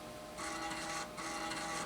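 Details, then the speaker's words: 1990s eMachines desktop floppy drive (A drive) running a program after cleaning: two short buzzy stepping bursts with an even reedy whirr and steady head moves; drive reads normally. "That thing is on and that thing is running, baby. Really good, actually."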